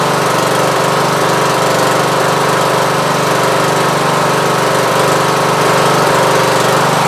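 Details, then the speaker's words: Repaired riding lawn mower after sheared key and near-total parts replacement (belts, charging system, magneto, battery, carburetor), exhaust still leaking: loud steady even drone at constant speed with a rough exhaust rasp, no knocking or missing. "that should make him happy so i just wanted to show you what the finished product looked like and sounded like"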